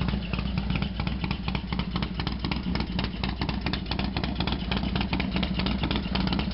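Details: Harley-Davidson FXDX V-twin after a completely cold start, idling: loose uneven clatter of sharp ticks over a lumpy idle; loud mechanical noise, cause unknown.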